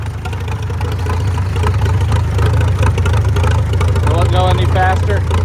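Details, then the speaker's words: Farmall F-12 tractor on steel wheels, auction find sitting long, ignition points troubled, cloudy fuel: loud, rough, deep chugging at wide-open throttle, never picking up; won't rev, owner suspects long storage. "That's wide open. It needs to run is what it needs. It's been sitting so long."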